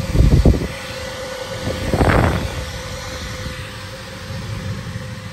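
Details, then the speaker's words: Street-found Zanussi SD 2811/W spin dryer, long stored in a garage or shed, running empty: a couple of thumps at start then steady even motor hum, very quiet with hardly any vibration, no knocking or scraping; spins normally. "wow that sounds sweet that is sweet as a nut let's hear the whistling inside God that is very quiet hardly any vibrations on it I know it's empty but still"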